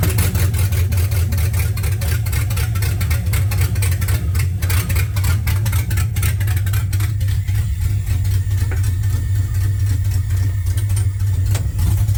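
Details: 1979 Camaro with LS swap, V8 engine that sat a long time, intake just tightened for a suspected vacuum leak: deep rough loping idle with sharp ticks; owner suspects a bad coil pack, a bad Amazon mass airflow sensor, or a remaining vacuum leak.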